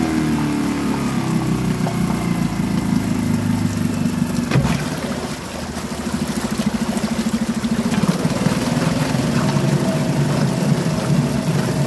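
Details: Suzuki DF2.5 2.5 HP outboard, long stored and not starting, after fuel tap and tank vent opened: fires up and settles into a fairly even putter with a slight mid-run dip; idles cleanly.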